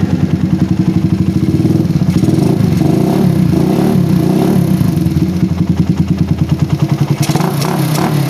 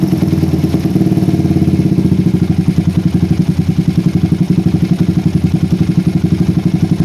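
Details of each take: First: PE24 carburetor after moving the needle clip to the top to cure a rich low-to-mid range. The idle screw now needs only slight adjustment instead of being set deeper. The small single thumps at a steady, even idle with no stumbling; the idle is normal. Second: PE24 carburetor with the stock needle jet, J6ZB needle, size 35 pilot jet and the air screw almost fully out. A lumpy single-cylinder idle wavers and hangs; it runs too rich at low rpm, blamed on a needle jet of too large diameter and too short.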